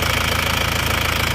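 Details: Isuzu Panther diesel after replacing liners and piston rings, at idle: even quick clatter, steady pitch, no knocks or misses; normal healthy idle after repair.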